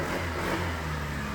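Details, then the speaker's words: Keyless motorcycle with a failed receiver, started by key and push button after joining the pure yellow and yellow-green wires to power the ECU without the receiver. Catches and holds an even, steady run with no misses; running normally. "Alright! So nakita nyo, umaandar yung motor ni boss na kahit walang tulong ng receiver para mabuhay yung kanyang ECU."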